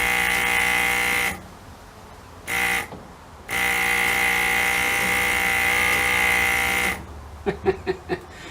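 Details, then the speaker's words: 1936 Chevy Coupe vacuum-powered wiper motor on a bench test, hooked to a vacuum source: a steady high buzzing whine cuts in and out with the vacuum supply. The motor works, just noisily. "now it's quite noisy i don't know if you heard that but uh to be honest i don't think i'm gonna hear it with the engine running anyway"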